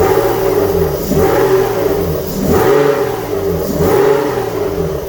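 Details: GTV V6, first start of its replacement engine with no exhaust manifold gasket fitted, smoking from unburnt oil: each throttle blip brings a harsh, puffing rasp rising with revs. Exhaust blowing from the missing manifold gasket.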